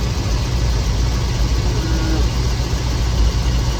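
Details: 1969 Chevelle SS big-block V8, sat 37 years, deep heavy idle with slightly uneven lumpy beat; pyrometer shows exhaust pipe temperatures uneven (~280–600), one cylinder suspected cold; rough running, cause not confirmed.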